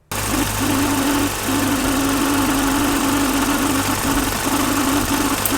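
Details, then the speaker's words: BMW E30 at idle, with new distributor cap, rotor, O-ring, plugs and wires: steady mid-pitched hum over a rough idle, mic at the distributor cap, briefly cutting out from electrical interference; hum source under the cap, cause unclear. "ut it is coming directly from the distributor cap underneath the distributor cap"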